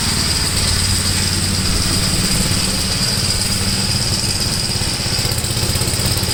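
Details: 1962 Gravely L/LI walk-behind tractor, single-cylinder, mowing a field after valve adjustment and carburetor tuning: pulls steadily under load with an even, unbroken beat and no misses; runs acceptably.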